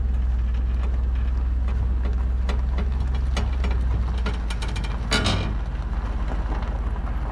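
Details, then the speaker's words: Trailer weight distribution (equalizer) hitch after its loose bolts were retightened to 75 ft-lb, road dry: steady road rumble with only faint occasional creaks, no groaning or popping; the hitch is now nearly silent, a huge improvement. "That was a huge improvement. I mean, I know that it's not making a ton of noise because it's not wet, but oh my god, there was like hardly any noise."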